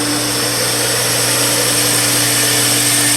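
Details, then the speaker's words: Steady pool pump motor hum under a loud hissing rush of air escaping from the open manual air relief valve on a DE pool filter at startup; the pump is catching prime normally. "We'll turn it on. Pump's catching prime. You can hear the air escaping."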